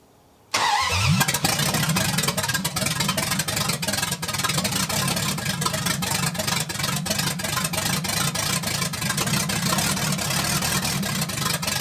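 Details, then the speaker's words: 1980 Dodge short-bed big block V8 after converting from points back to electronic ignition with factory harness, cam break-in; cranks, catches at once, strong steady fast idle with even beat, no knocks or misses. "i was a little bit worried there but once we changed over to this electronic ignition thing started to kind of look up and work a little bit better"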